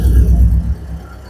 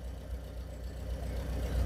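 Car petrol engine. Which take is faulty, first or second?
first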